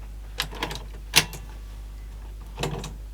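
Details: Sony SLC35 Betamax VCR, cassette loading fault: scattered clicks and short rattly bursts without rhythm from the loading mechanism; weak motor and odd mechanical noise, cause unclear.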